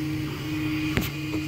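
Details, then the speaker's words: Anet A8 3D printer with bed poorly leveled after auto level, nozzle too close on a higher side: steady stepper hum with a sharp pop as filament gets stuck and the extruder jumps back. Extruder skipping. "The filament just gets stuck. Can't extrude, so it ends up jumping back."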